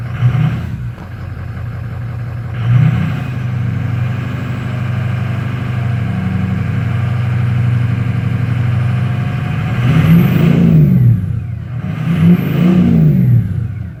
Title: Misfire rough idle?